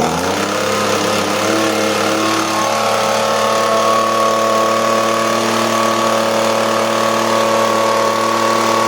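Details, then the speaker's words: Echo ES-250 leaf blower two-stroke, cold start after fixing the safety interlock switch that wasn't being depressed: catches and climbs to a steady high buzz, even and clean with no misses; running properly. "I'll give it a start up here so you can hear what it runs like now that I've ran it for a bit and tuned it. Sounds perfect."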